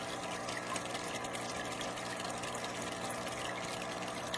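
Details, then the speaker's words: Marineland Penguin Bio-Wheel power filter on a newly set-up tank, lid glass removed: steady motor hum with low buzzing under trickling water, audible across the house; owner blames the motor, not wall mounting. "I can hear it completely across the whole house. Absolutely ridiculous."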